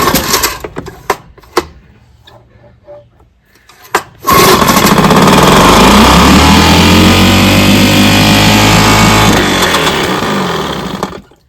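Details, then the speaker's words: Vintage outboard on a test barrel with a known-good power head (Mark's) fitted to the gear case known to pump water; fires after a few pulls, steady even buzzing run about four beats a second, pumps water out the jet, shuts off cleanly; normal running. "So, it pumps out the jet. Now I'm gonna close it off and see if it pumps."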